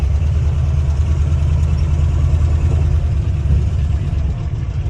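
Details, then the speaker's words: Worn Ford 351W V8 in an old truck, no oil pressure, smoking heavily, driven at about 20 mph up a hill: heavy uneven rumble under load with a fast faint ticking rattle like a sewing machine; engine knock and rattle, knocks above 1500 rpm. "look at this smoke [Music] sounds like a sewing machine this old 351 has had its Better Days"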